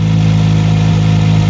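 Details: Engine idling normally with a steady, even hum and no skips or rattles. This follows a fix for a no-crank, no-start, no-click fault, done by replacing the negative battery ground connector with an anti-theft disconnect switch.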